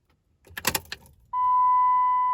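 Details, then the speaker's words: Dodge Ram Cummins diesel after an oil change and a new fuel filter: key on, engine not started, repeated 5–6 times to refill the filter bowl. Key jingle and click, then a steady hum as the fuel lift pump primes normally. "turn your key on, but don't start it, and you'll hear the fuel pump click on, and you want to do that maybe 5 or 6 times, and that will fill that bowl back up with fuel, and you should be all set."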